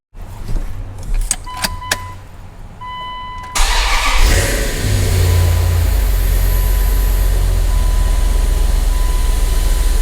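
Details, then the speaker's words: Dodge Dakota 5.9L (360) V8 Magnum after new rod bearings and oil pan reinstalled cranks, fires and settles into a steady, even idle with good oil pressure and no ticking; the knock was caused by bad rod bearings. "she's fixed I'm happy to say there's no ticking out of this thing you guys"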